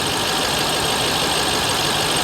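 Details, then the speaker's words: Dodge Ram SRT-10 Viper V10, damaged salvage truck with check engine lights on, heard under the hood: steady, even idle with a smooth, deep burble and no knocks, ticks or misses. Normal idle. "This one runs though. It actually sounds good."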